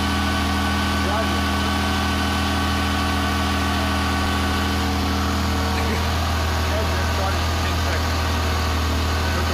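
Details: 1985 Porsche Carrera 3.2, first start after rebuild: steady, even idle with smooth low drone, no knocks or misses; sounds healthy and settled.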